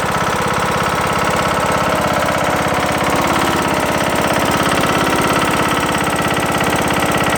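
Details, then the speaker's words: Briggs & Stratton engine on a Craftsman LT2000 mower, after replacing a broken camshaft and timing gear, idling with cover off: a hard, steady knock about three times a second. Also sluggish in thick grass; source of the knock unknown. "I don't know it almost sounds like maybe something's hitting somewhere hey banging or something I'm really not sure what's going on here"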